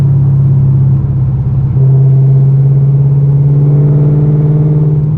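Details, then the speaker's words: Car cruising on the road after the resonator was removed and two J-pipes were added to cut drone: steady low exhaust hum with no booming build-up through the revs. Drone is greatly reduced, with the exhaust note and tone unchanged. Normal cruising exhaust tone. "right there was where all the majority of the drone was and it is so much less than it was before it is crazy it's crazy i can't believe that this like the two j pipes did that much of a difference didn't change the note or the tone of my exhaust at all which is really really nice"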